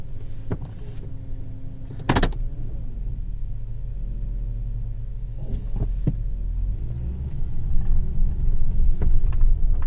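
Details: 2005 Toyota Tundra: a thin whine rising and falling with road speed under a deep engine rumble, with scattered clicks.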